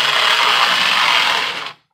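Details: Lionel postwar Scout 1120 locomotive after motor rebuild, test run on track: smooth, even high-pitched whir with no ticking or grinding, then a clean stop; motor running healthy.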